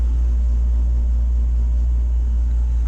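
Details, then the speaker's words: Takagi T-H3-DV-N tankless water heater on its first firing, around 135°F: a loud, steady deep hum and low vibration with no knocking; cause unclear, and the noise later fades as the fan appears to modulate down. "there's a little bit of a low vibration on this thing i don't know if you can hear that uh man it's getting loud it's interesting"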